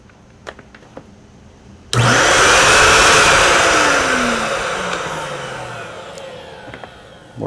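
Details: Pro Team Super Coach Pro 10 (107303) vacuum after motor replacement, test run before reassembly: sharp loud roar, smooth steady run, whine falls away on coast-down; no grinding, new motor healthy.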